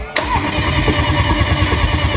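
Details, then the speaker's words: Hybrid BMW 5 Series engine after major rebuild at 140,000 km, smoke-tested with no leaks, cold start before installation in car: quick crank, catches cleanly into steady even idle, no knocks or misses; perfect. "好，熄火。再来一把来，好了，完美啊！"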